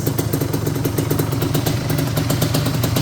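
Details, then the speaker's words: 1988 Suzuki LT250R 250cc two-stroke quad with the carb just reinstalled and idle adjusted: quick, even popping beat with a steady rhythm, no misses; clean, healthy idle. "But it runs. Sounds good. Good start."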